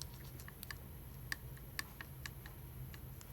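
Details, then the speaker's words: Solex carburetor throttle worked by hand: sharp, uneven clicks, roughly two a second, over a low hum; worn shafts and worn body let the plates knock, which affects idle and adjustability. "Manny, the shafts are worn, and the body is worn so that these things click, make noise, which"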